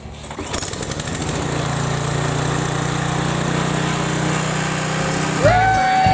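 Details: Briggs & Stratton 7.75 Ready Start mower engine after replacing the governor/oil slinger gear, governor arm untouched, tab bent straight; brief pull, then steady, even drone with no misses or knocks: running normally.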